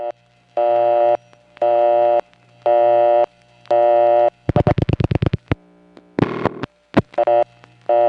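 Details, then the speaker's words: 1971–77 New York area coin test line: on-off busy tone bursts about once a second with dialing clicks between. Busy means it saw a coin that should already have been collected or returned. "the busy signal means that it saw a coin after there shouldn't be one because it's supposed to have just collected or returned."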